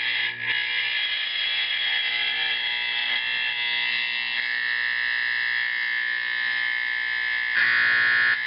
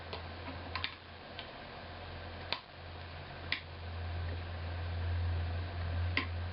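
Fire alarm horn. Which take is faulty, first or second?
second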